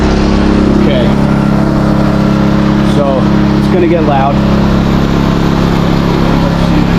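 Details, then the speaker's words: New Westinghouse iGen4000DFc dual-fuel generator, first run out of the box, powering an air compressor at about 1400–1700 W and 122 V: a steady even drone with no surging or knocking. Normal under load. "But right now, so far it's working right out of the box. Sounds good. A little bit louder than I thought it was going to be. It's not terrible."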